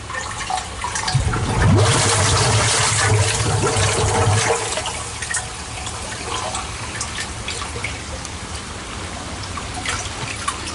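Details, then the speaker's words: Sump pump discharge from the basin's 2-inch pipe draining into a homemade culvert-barrel gravity transfer tank with a larger outlet pipe: a steady rush of water that eases toward a trickle; flowing freely and doing its job. "all right it's running out of that pipe let's get up here so i can see inside here when it's come on on zone run down all right so it's doing its job"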